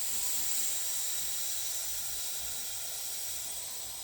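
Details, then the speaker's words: Benjamin CO2 pistol, reassembled and cleaned after a failed rebuild: a constant sharp hiss fading over about four seconds as CO2 escapes. It still won't seal; the sealing surfaces are to be inspected. "She's not sealing. Guess we're gonna have to go in there and look all the way. Still can't get it to seal."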